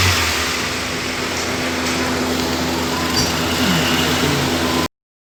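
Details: Honda engine after cleaning the throttle body and idle air control valve for an idling problem: steady, even note that climbs smoothly on throttle with no stumble or hunting. Normal engine revving.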